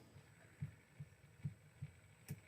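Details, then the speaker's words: FMS FCX10 Toyota LC80 RC crawler driven forward at full steering lock. Steady low clicks, about 2.5 a second, come from the front axle joint because the steering angle is too sharp for the axles. "The axle is... You hear that? Way too sharp."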